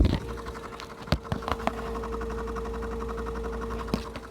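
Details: 2005 Nissan 350Z cooling fan activated via scan tool with amp clamp: thin steady whir with clicks, fan rotates very slowly and laboured, current dropping to zero; failing fan causing poor A/C at idle, replaced with Mishimoto upgrade.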